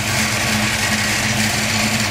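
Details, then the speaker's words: 1989 Mustang GT 5.0 V8 idling on the stock mid-pipe: steady idle with a light, fast ticking on top. The roller rockers on the passenger side are loud and need the valve cover pulled and the rockers adjusted. "roller rockers are kind of loud on the passenger side of the motor so I need to pull the valve cover and adjust the Rockers"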